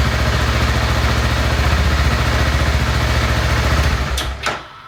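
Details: Steady, even single-cylinder thump at about three and a half beats a second on a 2014 BMW G 650 GS, briefly started after fresh oil and filter change to circulate oil before top-off, then shuts off cleanly; healthy idle.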